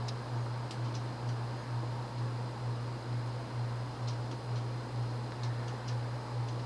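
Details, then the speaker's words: 1990s Quorum Gallery 60 60" ceiling fan, model 350605-33, 188x20mm motor, shallow 11.5° blade pitch, possibly warped blades, on medium: steady hum with a soft whoosh about twice a second, surprisingly fast for medium. Owner thinks it relies on speed rather than pitch. "Let's go to medium. This is actually pretty fast for a medium. Which I find kind of interesting."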